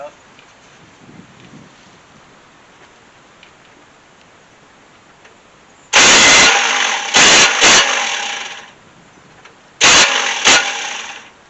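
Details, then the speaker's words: 1971 Chevy C10 sitting for decades, battery hooked up, fuel not connected: two harsh rough cranking bursts of a few seconds, no firing and no even starter rhythm; abnormal cranking noise, cause unknown. "well that doesn't sound good uh let's go we'll have to go check to see what the deal is with that"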